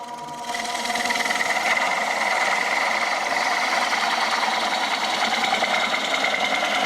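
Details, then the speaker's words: Bowl gouge cut on a woodturning lathe as the bevel stops rubbing: buzzy, rattling chatter with a steady high ring. Tool chatter from lost bevel contact. "See, I'm starting to lose my bevel. You hear that chattering? That's because I'm losing my bevel."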